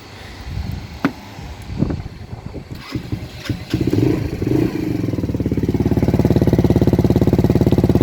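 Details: Lexmoto 125 four-stroke single after a DIY bodge refit of the exhaust baffle, now wedged snugly with a new bolt and locking nut, cold before a hot test: a few clunks, then a crisp, even idle thump with no tinny silencer buzz; normal exhaust.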